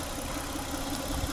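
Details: Peugeot 406 V6 idling after repair of an engine oil leak, oil not yet fully warm: a steady, even hum with no knocks, misses or ticks. The engine is running smoothly.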